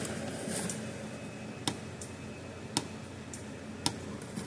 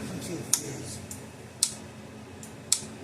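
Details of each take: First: Gallagher M800 fence energizer after repair, epoxy still curing; sharp clicks about once a second over quiet room hum, regular discharge pulse of a working energizer. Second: Gallagher M800 electric fence energizer in ground fault test: sharp thin ticks about once a second, higher pitched, light goes out; output transformer shorted internally, only about 4,000 V instead of 6,000–7,000 V.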